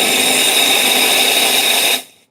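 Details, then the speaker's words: Odyssey Argos espresso machine steam wand purged at about 3 bar steam pressure: a strong, steady high hiss for two seconds that cuts off cleanly, with no sputter; condensation clears and the purge is normal. "condensation crazy steam right"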